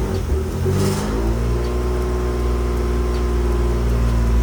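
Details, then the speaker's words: Nissan 350Z revving after tightening loose exhaust flange bolts: raspy chuffing edge on the exhaust note; still leaking at the flange, air felt by hand, gasket suspected shot; only slightly better. "still sounds like but I think it's a little better yeah it's pretty bad it's leaking I can feel it once I put my hand around the flange you can feel the air"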